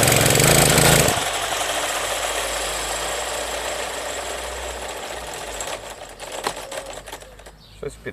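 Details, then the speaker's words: Brush cutter (motokosa) after winter storage, fresh fuel, hard starting since autumn: roars briefly then sinks into uneven fading putter and dies, won't keep running — sputtering and stalling. "Після зими таке часто, хоча скажу, тут конкретно цей цей ще підлючував з осені, то він ще тоді тяжко заводись."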